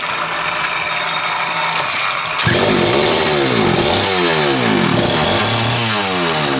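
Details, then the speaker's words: Homelite 330 two-stroke chainsaw, formerly trash-heap bound: settles at idle, then repeated quick revs rising and falling smoothly, even firing, no bogging; healthy. "didn't take any time at all but again for a saw that was ready for the trash heap sounds pretty good doesn't it"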